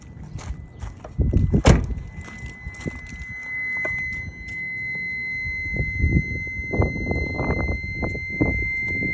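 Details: BMW E46 330i with aftermarket air intake, thin steady high buzz while the brake pedal is pressed, seemingly from the brake booster area, occurring randomly and more in warm weather; brakes work normally; cause unknown.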